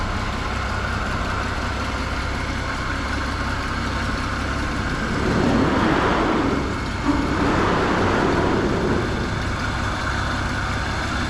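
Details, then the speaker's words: Holden HG Premier engine, back in the car after the car sat unregistered over 20 years, fire-up on fresh fuel replacing old stale tank fuel; started with a couple squirts of fuel, no throttle, steady even idle with brief surge midway, settling smoothly. "And idles, what a gem."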